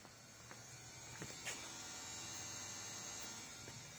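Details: Porsche Cayenne 955 running rough under 3000 rpm, right-hand fuel pump bridged alone: soft, steady electric buzz with a thin high whine, pump healthy at about 4 bar.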